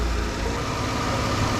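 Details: Dodge Caravan that would not start, now running: smooth, even idle with a steady low hum and no misses or knocks; running normally.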